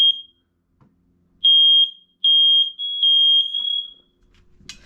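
Loud high-pitched beeps in short bursts, then a sustained tone during the test press; the alarm sounds properly.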